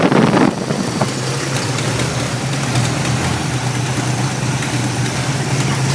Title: 93 5.0 rough idle